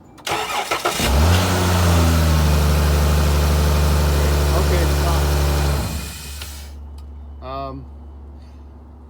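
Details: 2013 Chrysler Town and Country van, cold morning: steady starter whir for about five seconds, never fires; cranks but no start because the fuel pump relay jumper in the TIPM is wired to a circuit the computer cuts during cranking, so the pump is unpowered.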